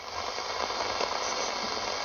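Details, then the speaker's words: Soviet Sokol-4 multiband LW/MW/SW portable radio on carbon-zinc batteries, first power-up: a steady, even speaker hiss with no hum, crackle or dropouts. The set is alive and working normally. "produces a noise. Nice. I hope you can hear it."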